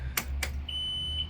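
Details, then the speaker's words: Mercury V8 outboard on an Aquila 36 being diagnosed for a no-start, batteries on, key switched on. Two quick clicks, then a steady high beep for about a second: normal key-on self-test. The port engine later starts; the starboard engine does not. "good sound got our gauge here we'll wait for this"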